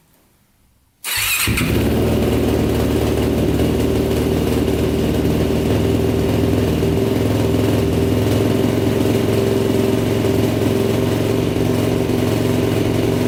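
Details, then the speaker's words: 2006 Yamaha YFZ450 Special Edition quad, bought in pieces, started with a stronger jumper: it catches after a second and settles into a steady, fast single-cylinder run on choke, rich and smoking heavily. "if you guys saw i was smoking pretty good the choke was on"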